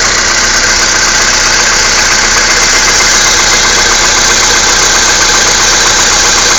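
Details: Skoda Fabia II 1.6 CFNA, cold start at -16 °C, about 22,000 km: steady rattly knock of about four beats a second over cold idle; cause unclear.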